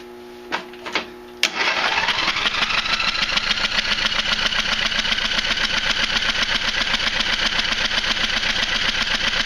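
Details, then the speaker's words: Craftsman Hydromatic mower with 15.5 hp Briggs & Stratton OHV, flooded engine, plug out: after a few clicks the starter spins steadily at about four strokes a second with a wet, spitting hiss as liquid, suspected thin oil not gasoline, blows out the plug hole. "So yeah, there was definitely something all through the inside of the engine. I'm pretty sure that it's some sort of really thin weight oil, because it doesn't smell like gas."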